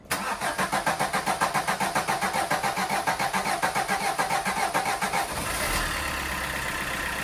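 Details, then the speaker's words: Peugeot Bipper 1.3 diesel after fuel filter and injector work for cold-start diesel knock: cranks about five seconds, catches and settles into a smooth, even idle with no knock or rattle. "so I just cycle it again then I'll do four turns and then hopefully there should be no more rattle"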